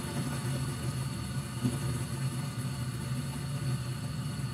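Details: Short-cycling gas furnace, safety switch held in, after inducer fan, pressure switch and hot surface igniter: steady, even low roar of lit burners, no clicking, surging or dropout, while dust and rust burn off; normal burner operation.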